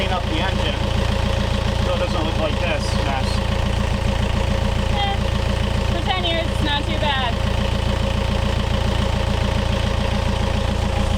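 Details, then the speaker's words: Yanmar 4JH4E marine diesel in a sailboat, unused since 2006 (about 10 years), first start after prep: steady, even chug of about three and a half beats per second with no knocks or misses; oil pressure good, normal idle. "It actually started. It sounds good. Oil pressure is good."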